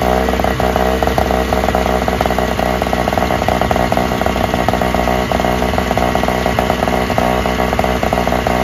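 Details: Free Toro/Craftsman single-stage snowblower, small two-stroke started first pull without priming: steady raspy high buzz at constant speed, even firing, no stumbles; runs best of the three, a slight nut gasket leak suspected.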